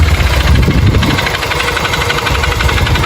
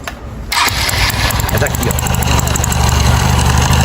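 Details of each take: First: Motorcycle brought in for engine noise, also smoking and throwing oil: rough, loose, uneven knocking about four per second at single-cylinder idle; mechanic suspected the rod and hopes it is only the cylinder kit; piston slap. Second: Freshly rebuilt 2008 carbureted 150 Titan single-cylinder after checking oil is rising: starts and settles into a steady, even beat with only a faint light tick; the engine sounds new and tight.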